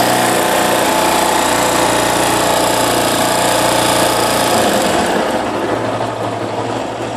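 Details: 2008 Yamaha Fazer YS250 with 36,541 km, engine running with a light, regular tec-tec tick over the normal engine noise; the dealer mechanic called it normal, but the owner doubts it because the tick is new.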